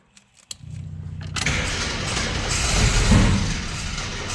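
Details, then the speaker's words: Abandoned Jeep with new fuel system, starting fluid in the carburetor: starter churns, engine catches in rough uneven coughs, backfires and pops, never runs; sputtering no-start, owner thinks timing is fine and carburetor is getting fuel. "keeps backfiring out I think it's in time it sputters like that it doesn't really want to take it and go"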